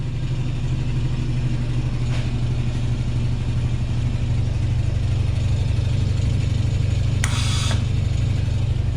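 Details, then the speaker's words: Homemade compressor, heard from across the garage: steady low hum with an even pulse, no knocking or rattle, quiet normal running. "we go you can hear that not very loud at all"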